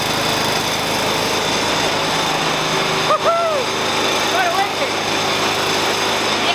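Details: 1988 Dixon ZTR 311 zero-turn mower, Briggs & Stratton 11 hp single-cylinder, after full restoration and carburetor needle adjustment (turned in, opened one and a half), exhaust now hot: steady, even buzz at constant speed, no misses or surging; running properly.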